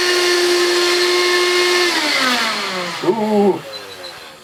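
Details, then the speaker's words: Old Bissell Magic Broom stick vacuum, first run: high whistling motor tone sagging in pitch then rough warbling; motor sounds unhealthy, maybe near end of life, bearings may need lubrication, cause unclear. "it does to me doesn't sound very healthy I've no idea what it would have sounded like but that sounds like it could be on its last legs"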